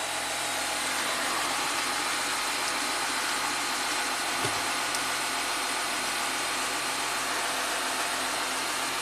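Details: 2014 Audi Q7 TDI diesel just restarted after resealing oil cooler and pipes under intake manifold for a major coolant leak and refilling 8 quarts oil, slightly long crank: even idle under steady hiss, no misses or knocks; normal idle.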